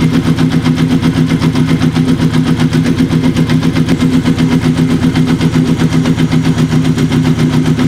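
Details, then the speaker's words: Kawasaki KZ750 café build, engine sat about 10 years, after vacuum-leak repair, adjusting carburettor mixture on cylinder three before sync: steady even pulsing idle, low throaty pitch, no knocks, settling as mixture is dialled in. "and already we can hear a change a nice change starting to happen already and that's even before we do a sink"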